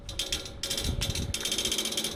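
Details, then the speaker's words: Outdoor AC unit with fan off, new fan motor already fitted without fixing it: fast steady ratcheting click about ten a second from inside the unit, as if trying to crank something; stops when the fan starts, cause unknown. "sound will continue until the fan comes on and it stops it's not coming from here it's coming from inside it's like it's trying to crank on something"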